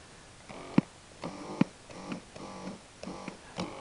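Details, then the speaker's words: Animatronic head with a new solenoid, run through a portable amplifier: buzzy bursts about once a second with sharp clicks come through the speaker, caused by the eye motor, which has no suppression capacitor. "that's the IM motor clicking there's no capacitor on the IM motor whatsoever on the head"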